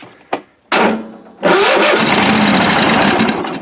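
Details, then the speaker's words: Toro riding mower not started for a couple of years, sprayed with starting fluid: couple of sharp pops, catches and runs rough and briefly, then dies; owner suspects old bad gas. "yeah ran a little bit hey which hole that one oh yeah that one sounds good see if that works yeah i think the gas might be not so [Music] good"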